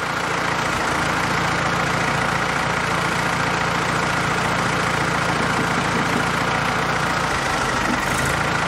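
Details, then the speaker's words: Jeep fitted with its original Carter WO carburetor after a professional rebuild and calibration, first start: low idle with an uneven putter of three to four beats a second that stumbles now and then; no leaks, but hesitation persists, cause unknown. "Okay, so far so good. No leaks. It's still doing that little putter and hesitation."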